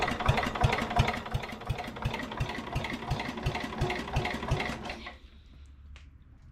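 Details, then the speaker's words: 1961 International Cub Cadet Original, 7 hp Kohler, cranked on the starter in neutral with battery hooked up before a spark check: even thumps about three per second, each stroke alike, then stops; owner says it has compression. "I need to just hit the starter and see what it does. I got compression."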